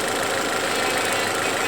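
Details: Geely CK engine, warmed up after hydraulic lifters took up their clearances, being checked for a metallic knock under the hood: steady, even idle hum with no knock or tick; normal idle.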